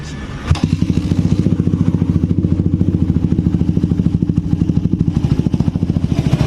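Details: Suzuki Satria FU 150 during valve clearance adjustment with shims: soft, even single-cylinder beat at about three and a half pulses a second, steady with no knocks or ticks, idling cleanly.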